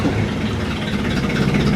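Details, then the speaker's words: 1964 Ford Thunderbird 390 V8 at cold idle: lumpy uneven rumble, unsteady beat, visibly shaking; shakes less once warmed up, drivable. Cause not confirmed. "I mean you see it shaking pretty good but when it warms up it doesn't shake quite as bad is drivable"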